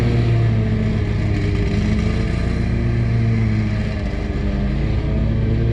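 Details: Scag mower cutting grass: steady low engine drone with revs hunting and wavering unevenly under load; bad surging, cause unknown.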